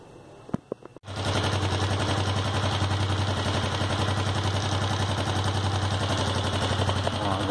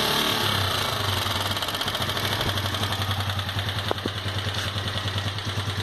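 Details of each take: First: Sundown MAX 125 motorcycle after top-end disassembly and valve clearance reset (0.68 feeler gauge went in tight): starts after a few clicks, settles to a steady, even putter; loud shrill engine noise gone, running normally. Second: Sundown MAX 125 motorcycle: fast, steady metallic clatter over the idle at roughly three ticks a second from the top end of the engine; cause unknown.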